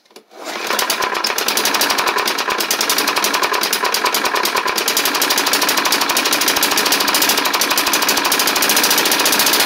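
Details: Snapper hi-vac push mower, Tecumseh engine, first run after carburetor swap: small single buzzing fast and uneven with light rattle each firing; rough running, less smoke than feared, owner may add 20W-50, cause unclear.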